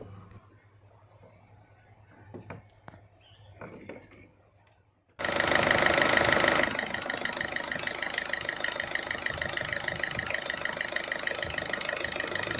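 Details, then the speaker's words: Ford TDCi diesel (Fiesta/Figo/Ikon) just after timing belt replacement and a new V-belt: catches at once and runs at a steady, even clatter with no knocks or stumbles, timing correct. "बेट लगा के गाड़ी start भी कर दी एकदम perfect"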